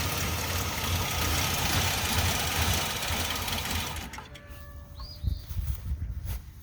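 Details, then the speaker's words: 2004 Ford Explorer with intermittent P0300–P0306 misfire codes and the fuel pump relay pulled: the engine runs rough and uneven for about four seconds, then sputters and cuts out from fuel starvation. Owner suspects the fuel filter, possibly the pump. "that's the relay so I'm going pop that all right and it should stop pumping gas and the cars should shut off and then that line should be more or less clear so you hear it spluttering"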